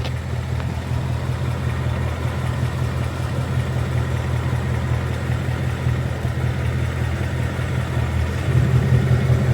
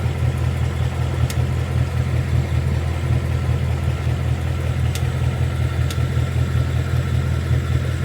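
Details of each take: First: 2022 Mustang GT Coyote V8 idling after adding Liqui Moly Ceratec at an oil change and restarting. The idle burble is steady and even with no tick on top, and the "barbecue tick" is gone. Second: 2022 Mustang GT Coyote V8 at idle, just after an oil change and before adding Liqui Moly Ceratec. A faint, fairly regular light tick at about two to three a second rides over the low rumble.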